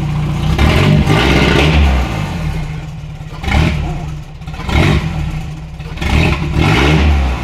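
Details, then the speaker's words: Honda K24 engine swapped into a Mazda RX-8, running with latest tune loaded: repeated quick blips climbing cleanly and falling back to steady idle, no stumble or flat spot; revs freely. "dude it revs up so much better right now it wraps up so much better"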